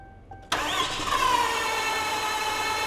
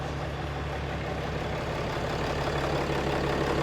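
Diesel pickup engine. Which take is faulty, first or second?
first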